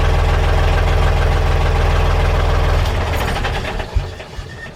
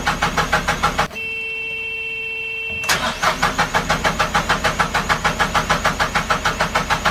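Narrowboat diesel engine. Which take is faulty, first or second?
second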